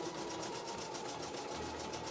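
Quick, even mechanical chatter from a small machine in a room, steady rate and pitch, nothing irregular; a healthy embroidery machine at work.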